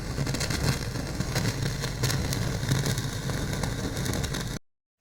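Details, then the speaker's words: Sansui AU-9900 integrated amplifier (1975-77, almost 50 years old, never serviced), only speakers connected and no input: constant hiss, low rumbling hum and irregular crackle; noise stays audible behind music; previous owner believed cleaning controls/contacts would fix it. "yeah, here's distortion and noises, whatnot. By the way, if you feed any input, like a CD, you could hear the music, plus in the background you get this noise faded, but you can still hear it, you know."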